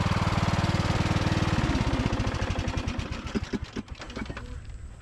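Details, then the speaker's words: Briggs and Stratton–powered Craftsman DLT3000 riding mower, restarted at idle: even thumping turns ragged and skips before fading, sputtering a little at idle; owner plans to recheck the carburetor, cause unconfirmed. "I mean it does start in idle right now everything seems seems pretty good on it but I just want to make sure it's 100% you can hear it kind of sputter a little bit"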